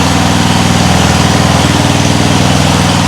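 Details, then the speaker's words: Homemade air-cooled outboard from a lawn mower engine, after quitting earlier (maybe water): steady, even single-cylinder chug at fast idle, about four beats a second, no misses or knocks, driving propeller forward and reverse. "sounds nice forward reverse"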